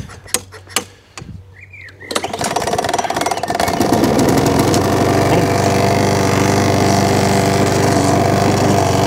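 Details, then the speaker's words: Mountfield 464 mower, primed and pull-started: catches after several pulls, runs with a regular knock about three per second from underneath; owner suspects the loose, dirty drive cable area, not confirmed. "there's a bit of a knocking noise coming from underneath i think i know what that is already um the drive cable it's looking at and everything's loose and everything's dirty"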